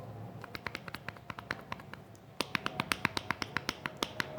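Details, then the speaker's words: Worn, loose stabilizer (sway bar) link ball joint on a 2017 Chevrolet Onix rocked by hand gives sharp dry clicks, about four a second; the cause of suspension noise, fixed by replacing the link. "quer dizer ela tá com folga e observe o barulho"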